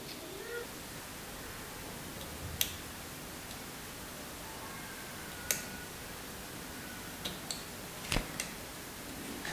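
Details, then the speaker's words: Logitech wireless mouse after repair of a button that was not clicking, with the switch part reseated: a few crisp, sharp clicks several seconds apart in a quiet room; the switch snaps cleanly and the button works. "now the bottom line is that we need to get this click"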